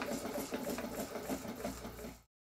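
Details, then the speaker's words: Rebuilt model steam plant, first live steam test, gas-fired: early knocking from the piston hitting water at each stroke end soon stops, then a quick even chuffing beat with light clatter; normal running. "the knocking soon stops and the engine runs smoothly"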